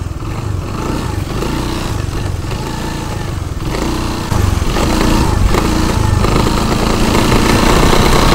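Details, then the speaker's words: Honda BeAT FI scooter, rough starter: harsh growl from CVT case only on initial throttle pulling away, gone at mid-high speed, like a shattered bearing; cause not yet known. "ada suara aneh ya suara aneh Suaranya berisik sekali apabila kita Nyalakan pas mau jalan itu awalan ada suara berisik berisiknya itu seperti ada laher yang hancur di dalam sini ya"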